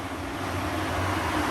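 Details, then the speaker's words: Cooling fan on a 1G-FE VVT-i harness build for a turbo Lexus IS200, switched on manually via a button (fans also trigger on coolant temperature): steady airy whoosh building slightly, smooth, no rubbing or ticking; normal fan operation. "we have built in the ability to turn them on manually so if you take a look over here you'll see if I press this button one of the cooling fans turns on"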